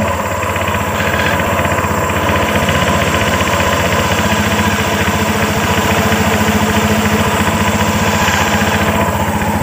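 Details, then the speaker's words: Honda Vario 125 scooter idling, CVT cover open, before sanding the primary and secondary pulleys: quick repeating "sok-sok" scuffing about three to four a second over the engine, a hardened drive belt slipping on the pulleys; sanding reduces the slip and grating noise. "Dan mengurangi suara ngegrosok, sek sek sek sek sek sek sek sek."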